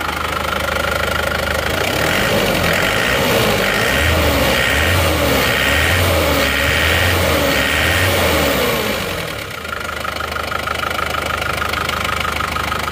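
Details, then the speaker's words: Isuzu Panther diesel after fitting Elf injectors: idle is now even, but a light regular tick of about three or four per second sits over the clatter. The mechanic is unsure; one suspicion is a loose part. Ticking at idle. "Nah ini setelah kita pasang nosel Elf itu kok rata tapi kok ada suara tek-tek gitu Jadi saya juga agak bingung nih"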